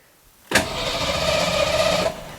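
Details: 1989 Ford Mustang GT, kept in a garage, cranked from a Hulkman Alpha 85S portable jump starter with the fuel pump heard priming; about a second and a half of steady, vigorous cranking at even speed, no catch; engine not starting.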